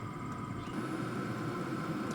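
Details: Hcalory HC2 diesel heater running normally at about 330°F output, ramping its speed up: steady blower whir with an even mid-pitched hum and combustion rush, and a tapping sound noted by the owner.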